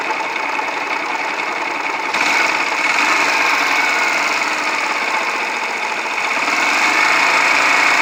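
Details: Yamaha YBR125, about 50,000 km, repeatedly run low on oil (50 km on 200 g): hard steady metallic knocking three to four a second under engine note; suspected wrecked crank bearings and seats, worn piston, possibly timing chain.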